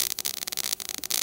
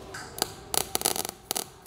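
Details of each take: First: Everlast Power i-MIG 315, CO2 gas, ER70S6 0.030 wire, around 18 volts with wire feed raised: fairly steady crackling sizzle with short gaps, close to bacon-fry sound; arc nearly dialed in, needing a half-volt drop. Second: Everlast Power i-MIG 315 with CO2 gas and 0.030 ER70S-6 wire on carbon steel plate: arc starts in broken spitting bursts, then steadies into fast even crackle as plate warms; MIG arc stutter on cold start.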